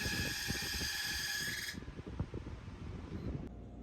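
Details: Home Essentials stand fan, model HE168RC: a steady, shrill squeal rides over the running fan's low whir, then cuts off abruptly; squeaky fan, recorded before the fix, cause not confirmed.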